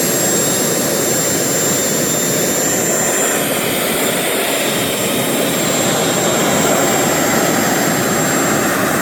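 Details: RT130 model jet turbine after rebuild at full throttle: thin steady high squeal over the jet roar; compressor wheel rubs the front housing, which owner thinks prevents reaching the set maximum of 120,000 rpm.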